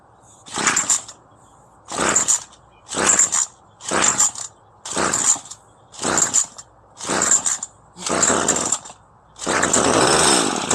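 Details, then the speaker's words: Craftsman gas string trimmer, two-stroke on premixed fuel, just fitted with a new carburetor kit to cure hard starting and no rev-up, carb not adjusted: crisp bursts then a steady run, revving cleanly without bogging; starts easily, normal idle. "Seems to be running good. Idles up, starts pretty easy. And we didn't have to adjust the carb on this, so let's give it a spin."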